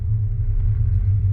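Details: G-body with an LS swap, a small Summit Stage 1-type cam and a Holley Terminator transmission control. Low, even V8 idle with steady firing and a mild lope, nothing rattling or knocking. Healthy idle.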